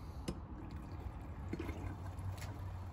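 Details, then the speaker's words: RV motorhome kitchen plumbing with water pump off, hot and cold lines drained and faucet opened before faucet replacement: quiet trickling with low uneven gurgles as air chases water out; lines draining normally. "and you could hear it gurgling so Dave was telling me the whole system is designed to drain out to the back of that"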